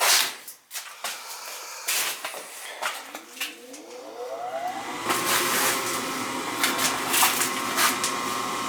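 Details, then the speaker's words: Newly installed 80+ gas furnace replacement, first fire-up with gas valve on and doors fitted, house about 45 degrees: a few handling clanks, then the inducer's whirring rush swells and settles steady; normal furnace startup. "Gotta make sure you put the gas valve on. It should fire."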